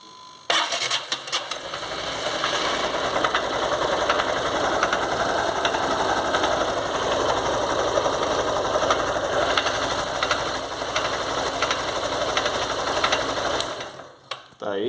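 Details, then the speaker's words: Motorcycle engine stripped down and run with the balancer gear removed so only the crankshaft spins: a fast, busy mechanical rattle at a steady pace reveals a damaged crankshaft main bearing on one side; both bearings to be replaced. "como vocês puderam perceber esse rolamento desse lado aqui tá com barulho tá estragado legal trocar os dois"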